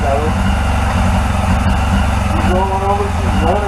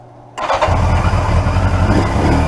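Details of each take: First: 1981 Yamaha XJ750 Seca four-cylinder running after carburetor cleaning, one of its first runs in a long time. It runs steadily on its own with an even, slightly lumpy idle; a nest was blown out of the exhaust. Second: 1981 Yamaha XJ750 Seca four-cylinder at its first start after carburetor cleaning. It catches sharply and settles into a lumpy, spitting idle as debris from a nest blows out of the tailpipes; fuel possibly running low.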